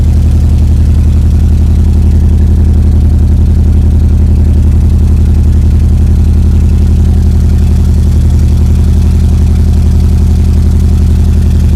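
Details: EJ22T DOHC Subaru engine on first start with RobTune EJ20G ECU and ignition converter; steady lumpy idle, sounds like missing on one cylinder; rough idle.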